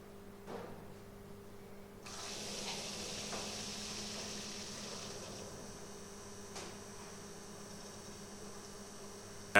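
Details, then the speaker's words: Mercedes W124 replacement heater water pump, car powered from bench supply: steady electric pump hum with faint gurgling and fizzing as trapped air bubbles are purged from the heating circuit. "you can hear that the air has been cleared out of the heating circuit that's what the strange noises are from the pump it's air bubbles basically"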